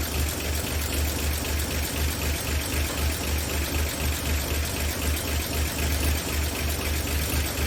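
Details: 1959 NAPCO Chevy Apache 1-ton, rebuilt 235 six-cylinder, just after first startup with oil pressure and no leaks, timing not yet checked: even low thumping idle about four pulses a second, no knocks or misses; normal idle.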